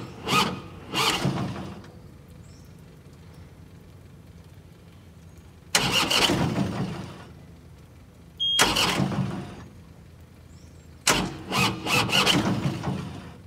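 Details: Tractor diesel after rollover hydrolock, front cylinder found full of oil and cleared, engine reassembled (owner fears a bent connecting rod): three short cranking bursts with quiet gaps, never catching; hard starting after hydrolock.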